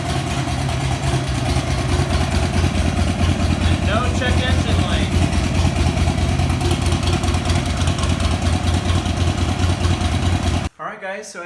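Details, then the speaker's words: Buell XB12R V-twin idling after fixing wiring damage near the speed sensor connector (temporary test connectors) and fitting a new battery: loud, even idle with steady low lope, no misses or knocks; normal idle. "you saw the motorcycle is running great"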